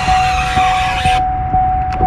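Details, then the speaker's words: 2005-2009 Saab 9-7X/GMC Envoy power window squeals badly only when rolling up, a steady high squeal over the whole travel with a soft thump about every half second, smooth and quiet going down; worn window motor/regulator assembly, to be replaced. "when i wrote this window down it squeaks pretty damn bad and it's annoying"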